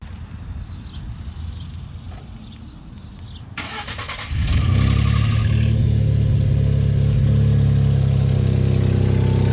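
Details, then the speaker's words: Ford F-150 3.5L EcoBoost cold start: engine cranks and catches, then heavy fast steady rattle slapping under idle, a weak instance; possibly dry start or timing chain, not confirmed. "all right guys so as you can see the truck is sounding awful upon cold start and that was actually a weak one guys"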